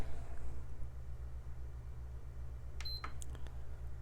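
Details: PS5 Digital Edition after HDMI encoder chip replacement, run with no fan and standard thermal paste: low room hum, then one short high beep with light clicks. It powers up normally and the HDMI output now locks.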